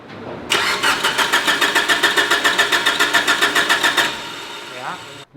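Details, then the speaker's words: Mitsubishi Evo 8 on the dyno: sharp, even ticking about 3.5 per second over the engine note sounded like a rocker. Rockers and lifters were fine; the cause was a loose, floppy power steering pump shaft, and the engine is fine. "rockers were fine lifters were fine thought of something else ended up being a floppy power steering pump shaft so the motor's fine"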